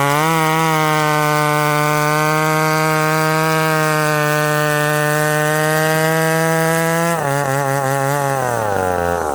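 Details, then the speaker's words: Ported McCulloch Super Pro 70 (70cc, full house) chainsaw with 32-inch bar in not-easy-cutting wood: steady high scream whose note sags as it digs in. Pulls more rpm than his 850 but lacks its pull; cause not confirmed. "now fred's right away i could feel the difference this is a 70cc saw uh it's turned up to be a little bit more zippy it doesn't have the pull of the 850 it just doesn't um it's pulling more rpm"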